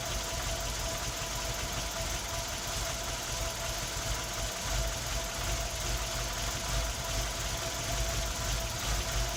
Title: Tino misfiring